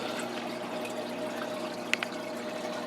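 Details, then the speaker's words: New Tetra Whisper 40 hang-on-back filter replacing a rattly Whisper 20 on a 20-gallon crab tank: only a steady soft trickle and splash of water, no rattle or buzz; running quietly and normally. "so we've got twice as much filtration going on twice as much water moving approximately twice as much water moving through there and it is now much much quieter"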